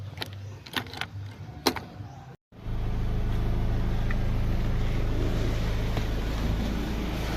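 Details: 2015 Ford Ranger after no-crank no-start repair, relay contacts and dashboard contacts cleaned: a few clicks and quiet pause, then engine catches and settles into smooth even idle with no misses.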